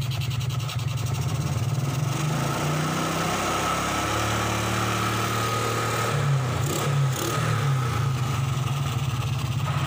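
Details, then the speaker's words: 2003 Suzuki Smash 110 after repair, battery refitted: even steady beat picking up cleanly on light revs, no stumble or misfire; charging voltage now up, around 13 V expected. "Nah, ini pengisiannya sudah naik ya, sudah nggak berbet lagi."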